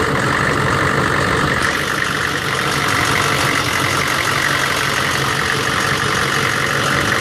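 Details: 1999 Chevy 6.5 diesel truck with a bad fuel injection pump: a loud, rough, uneven idle clatter that never smooths out. Owner wondered about a link to the AC electrical circuit or engine load. Replacing the pump fixed it.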